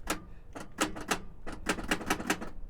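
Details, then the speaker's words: Auction car, lights working, key turned: rapid uneven clicking, three to four a second, with no cranking; the starter engages but the engine won't turn over, cause unconfirmed. "uh-oh it's trying but it's it's not"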